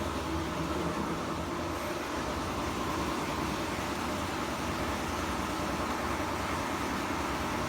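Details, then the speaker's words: Kenmore laundry center built by Frigidaire, washer spinning: a loud, constant rough rumble with a coarse churning edge while the drum turns, and a quieter noise as it slows to a stop. Worn drum bearing. "can hear how loud the bearing was of course"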